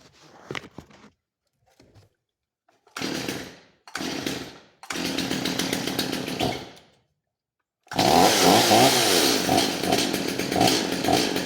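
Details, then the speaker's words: Stihl MS250 chainsaw with new carburetor and fuel line, being tuned: short blips then a sustained rev that sounds fat and blubbery instead of a clean scream; rich high-speed mixture, high screw needs closing. "all right it's running a little fat on the high side so you're going to close that up a little bit"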